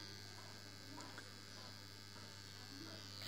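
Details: Low steady mains-pitch electrical buzz with a thin high whine on top, unchanging throughout; a humming transformer.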